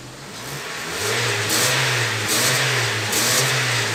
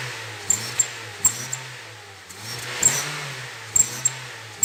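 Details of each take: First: Honda New Civic that whistled when accelerating, after exhaust work that fixed it: engine revs up cleanly, steady even exhaust note without whistle or hiss; normal revving. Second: Honda New Civic whistles, a hissing rush that swells with each rev. It still whistled with the aftermarket carbon sport exhaust tip removed, so the original muffler with its noise flap is the probable cause. The flap is to be eliminated and the problem was resolved.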